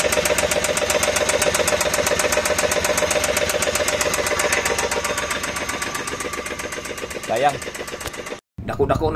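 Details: Suzuki DA64V engine at idle with a sharp, even ticking about four times a second and no speed change; a mechanical knock inside the engine.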